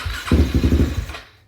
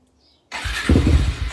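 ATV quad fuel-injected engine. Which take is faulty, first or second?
first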